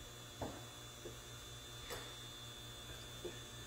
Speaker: this vent valve is sticking and i just caught it of course i didn't have the camera on